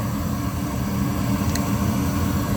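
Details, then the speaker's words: Goodman 80% furnace, no heat, three-blink pressure switch error, no flame: inducer runs with steady low hum but furnace doesn't light; pressure switch suspected, to be checked with manometer. "it sounds like it's running but that doesn't mean that it's actually working"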